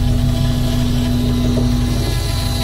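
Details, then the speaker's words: 1982 VW Westfalia with Subaru engine swap at idle, mic near the electric fuel pump: steady rumble with constant mid-pitched whine; noisy fuel pump, owner suspects dirt inside, unconfirmed. "Yeah, it makes lots [music] of noise. Not hot rain or anything like that. I imagine it's okay just leave it making noise. But likely that usually means that it's got dirt in it."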